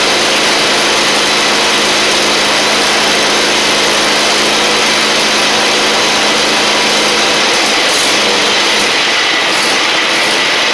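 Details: Husqvarna LGT2654 mower small V-twin after new fuel lines and tank, varnished carb, no voltage regulator fitted: steady even hum, constant drone, no stumbling or surging; running normally.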